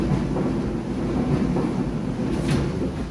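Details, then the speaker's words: Old Kenmore Series 70 dryer, repaired for a broken belt and worn parts with a kit, runs with a steady, even low rumble from the turning drum with no squeal, thump or scrape; running normally. "If I set this to run, making more noise. Sounds like a dryer."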